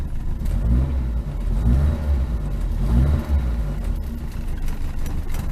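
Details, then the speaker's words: Rover P6, warmed up, running a little lumpy: revs swell and fall with rough, uneven crackling pops and banging from a leaking, worn exhaust that needs replacing. "I'm gonna go all this crackling banging around everywhere and I said the exhaust needs really doing"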